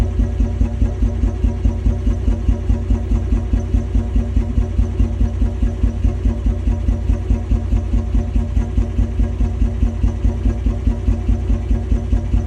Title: 1994 Toyota 80 series Land Cruiser rough idle